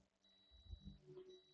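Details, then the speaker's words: HP EliteBook 845 G5 with no power after a Type-C charger failure: a multimeter goes from ground to the main power line at a resistor and beeps steadily, reading 13 ohms, so the main power line is shorted. "And actually the main power line is shorted. Can you hear that? It is beeping and it is reading 13 ohms, which means the main power line is shorted."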